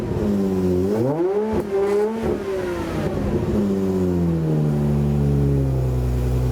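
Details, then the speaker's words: Aston Martin DB7 5.9 V12 with optional exhaust fitted, before fuel tank removal: revs rise and fall unevenly with a lumpy exhaust note, the V12 "turning into a V10"; misfire from fuel supply problem, bad for the injection system. "Là vous entendez bien le V12 qui commence à muer en V10."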